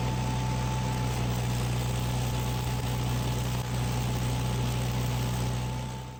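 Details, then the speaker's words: Miller Bobcat 225G welder/generator engine after replacing a split fuel pickup tube in the tank that caused a crank-no-start: steady, even engine drone with no knocks or misses; the engine runs properly again. "engine is running and yeah welder is functional again"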